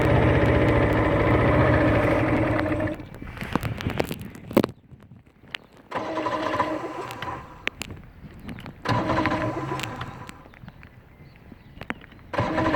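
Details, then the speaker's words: Johnson V4 115hp outboard after ground wire was changed: engine catches for a few seconds then dies, followed by repeated short cranking bursts that never pick up; cranks but won't start, cause unknown. "okay so we're getting really turning it's turning a bit so that's a good start"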